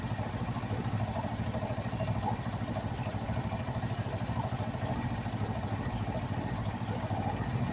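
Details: Kawasaki Vulcan 500 twin after valve adjustment during carburetor synchronization: quiet steady idle thumping about three pulses a second, no misses; carbs balanced, smooth normal idle.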